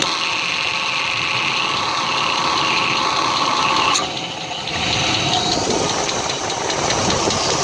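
Steady idle with a fast, uneven ticking knock riding over the engine hum, loudest in the upper range; the cause isn't clear. Cause suspected, not confirmed.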